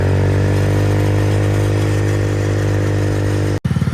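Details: MotoBravo Roma150 scooter-engined motorcycle at 1,098 miles, running much better, on a ride: steady, even single-cylinder thrum under way, no knocks or rattles; the bike is running healthy.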